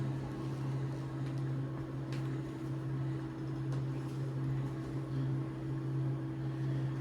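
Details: NxStage home dialysis machine during rinse back: steady low hum with a faint, even pulsing beat and a constant mid tone; normal operation.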